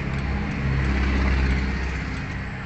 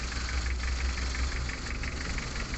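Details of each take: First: Mitsubishi L300 diesel after replacing rocker arm bushings, valve adjustment, injector nozzle resetting, oil and filter change: starts, catches and settles into a steady, even, smooth idle, formerly rough, limping, vibrating and weak. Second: Mitsubishi L300 diesel with rough, vibrating, weak running: cylinder cut-out test, cylinder 3 injector line loosened, idle gets rougher with heavy uneven thump, so cylinder 3 is normal.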